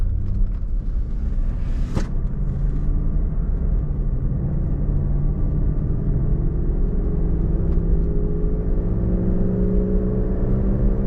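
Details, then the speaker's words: Cadillac DeVille driving: low droning hum under road rumble rising in pitch and getting louder with road speed, not engine rpm, louder when turning to load one side; worn wheel bearing/hub, later replaced. "And I can hear it clear now. this humming."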